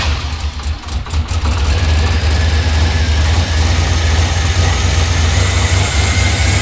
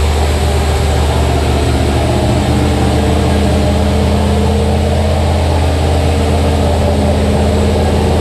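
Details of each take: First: 5.3 LS L33 turbo engine in an S10, first start with new NGK plugs: deep, even rumble settling into a steady idle after the start, with no obvious knocks or misses. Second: Turbo L33 5.3 LS (323 cubic inch) V8 in Blue Ghost S10, first start: deep steady rumble held at raised idle, not settling; high idle from very basic untuned base calibration, needs tuning.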